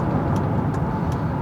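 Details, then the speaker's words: 2007 Ford Edge 3.5 V6 after misfire repair, road test accelerating to about 55–60 mph: steady, even engine and road rumble with no stumble or bucking; previously bucked near 50 mph; no check engine light. "Looking good. We just got up to about 55, 60 miles an hour with no misfires."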